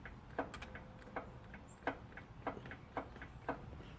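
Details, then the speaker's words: Riding mower after winter storage, battery charged and jumped, blade off, seat and brake switches satisfied: repeated sharp clicks with no cranking; relay or solenoid clicks but starter doesn't turn, cause unconfirmed. "I hear a click but it's not starting and the click is probably listen the relay they put relays and things because the switches like this switch right here isn't heavy duty enough to carry the amperage to run the starter"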